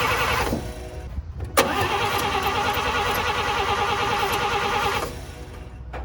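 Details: 1954 Chevy after new spark plug wires gave spark: the starter churns steadily for several seconds with only odd weak firings and it never catches; the plug wires were one position out of firing order.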